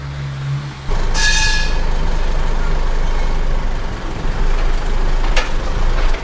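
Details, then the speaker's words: Isuzu MU-7 pickup after repair: new universal joints (cross joints) and centre bearing fitted to cure a clunk on sudden acceleration and vibration at speed; rocked with the engine running, only a low rumble, no clunk or knock, driveline now quiet. "ได้ยินอยู่บ่บ่บ่ได้ยินก็ไปว่าเงียบกิ๊บหาย"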